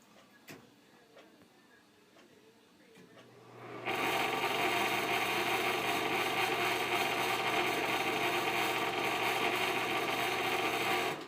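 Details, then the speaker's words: Fan running with bad bearings that failed again after earlier working well: loud, rough whir with a steady hum and a rattling tick about twice a second. "once again the bearings are bad and I'll show you again the last time I showed you this fan it was working good but now the bearings have went bad again"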